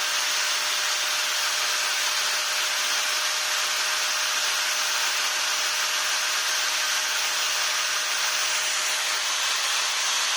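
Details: Maktec MT960 4-inch angle grinder test run after replacing the spindle bearings: steady, even high-pitched whir with one constant tone and no rumble or rattle; runs smooth and healthy.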